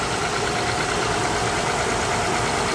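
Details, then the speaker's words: 2007 Honda Odyssey, front-end wrecked, reportedly running fine before the accident, heard under the hood during a brief check; steady, even idle hum and whir with no knocks, ticks or squeal, engine and belt running straight and healthy. "All right, now it may sound different by coming through the video. I have no clue, but it sounds good. I know what I'm listening for."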